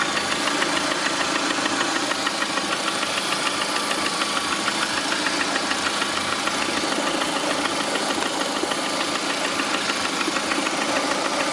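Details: Lada Priora with 21126 engine at idle: sharp, steady metallic ticking knock at roughly three per second; internal engine knock, cause not confirmed.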